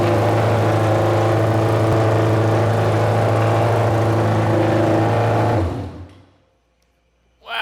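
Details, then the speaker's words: Junkyard Honda CB750F four-cylinder that sat for decades, running again: strong, steady roar holding high revs, then cutting off cleanly; runs evenly with very loud exhaust. Starter clutch still needs addressing. "that's loud I will take it man who knows the last time this thing ran pulled out of Archway just an absolute wreck of a state and now we got it just absolutely blasting decb out the back"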